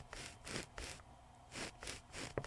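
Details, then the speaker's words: Toshiba MV13J3 13-inch TV/VCR combo from 1999, microphone clipped to the 8-ohm speaker frame: gritty, sandy scraping in bursts as the cone is pushed in and out, a rubbing voice coil; speaker needs replacing. "you have to hear it because I see it on the level display it's like it's full of sand that's why it sounds so crappy"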